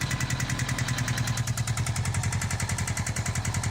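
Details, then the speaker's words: Honda Goldwing GL1500 idling: loud, fast, even tapping from the right-side valve covers that used to go away when warm but is now constant, attributed to clogged hydraulic valve lash adjusters. "all right well that's a fairly simple one i know it sounds terrible and the noise is coming from down here from the valve covers and what that is is your valve lash adjusters"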